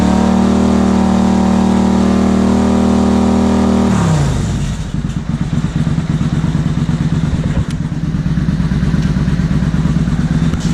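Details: 2000 Suzuki Intruder 800 V-twin, carbs cleaned and just synchronized: a steady high rev drops cleanly into an even lope with regular pulses; the carbs sound balanced.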